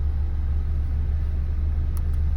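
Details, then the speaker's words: 2008 Opel Astra H GTC, Z16XER engine, manual gearbox, 223,000 km, warming up after pump reseal, check valve behind alternator and gear replacement: smooth, even idle with no ticking or knocking; readings normal, no errors; normal idle. "прогреваем автомобиль все показатели в норме 120 градусов впуск и 94 выпуск ошибок"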